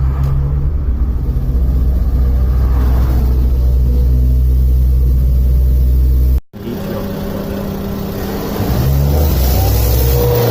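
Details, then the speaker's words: 2003 Honda Civic 1.7L, warmed up, on a test drive: engine drones at a flat, muffled pitch under part throttle (about 50% TPS) and never pulls; few misfires; charging voltage dropped. Sounds like a restricted exhaust. "Sounds like a restricted exhaust."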